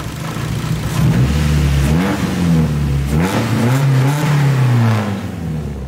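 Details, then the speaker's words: Nissan S13 with KA engine on a straight-pipe exhaust, just fixed of misfiring and first driven in almost a year; loud raw exhaust rising and falling through repeated blips, steady pulses with no stumble; normal revving. "sounds crazy oh my god it's so obnoxious pretty sure I'm gonna get pulled over driving this"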